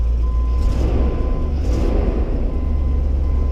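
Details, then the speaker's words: Land Rover Discovery barn project, just started, runs a little hard on startup: deep steady idle rumble with a raspy puffing edge from underneath; a small exhaust leak under the car. "bit of an exhaust leak right under the car"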